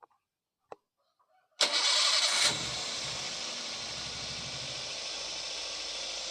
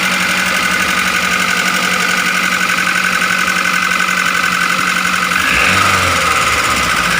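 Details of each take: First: Daihatsu Gran Max engine after valve clearance adjustment: it starts cleanly and settles into a quiet, steady idle with no rough clatter. The earlier rough noise came from valve clearances that were too loose or too tight; the idle is now normal. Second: Grand Max engine running rough at idle, valve cover previously opened; fast fairly even ticking about four a second with sharp top end; piston, bearing or valves suspected, found to be excessive valve clearance causing tappet clatter.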